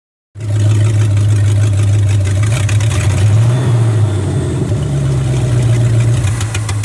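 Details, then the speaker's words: International Scout with new carburetor: low, uneven lumpy idle that stumbles when revved, after running well five minutes earlier; rough running, owner suspects ignition, timing light flashing sporadically. "you hear how awful it start now it was running great about maybe 5 minutes ago everything kind of kind of in sync"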